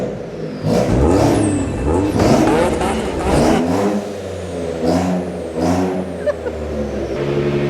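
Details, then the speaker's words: Ford Raptor revved hard in a shed: every rev very loud and raspy with a sharp blatty edge; exhaust leak from a dump pipe issue. "Oh, it's so loud. So what's actually happened with the Raptor is we've got a dump pipe issue."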